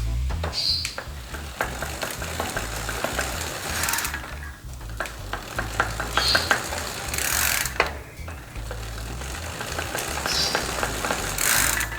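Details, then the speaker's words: Bicycle freehub: spinning freely is normal, but under pedal pressure sharp tek-tek ticking bursts with vibration; freewheel ticking under load with excess play. "tapi ketika kita mulai berikan tekanan ada noise noise ada suara tek tek tek tek gitu ya"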